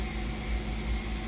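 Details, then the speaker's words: 2008-2012 Ford Escape electric power steering, engine idling, just after installing a new EPAS torque sensor (fix for code B2278); steady low hum, no clunks, groans or buzzing going lock to lock as the system relearns its end stops; normal assist. "start it up try it out seems to work very well all we could a lot and it may feel weird at first until you go lock to lock"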